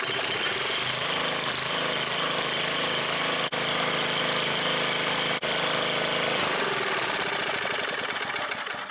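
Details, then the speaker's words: Old scrapyard Briggs & Stratton generator, late 70s/early 80s guessed, after priming with choke: loud crackling rapid exhaust beat from open pipe, steady with no knock; runs healthily. "Running like $1,000,000. Well, that thing just totally blew my mind, man. First the engine wasn't blown up, next the carburetor even works."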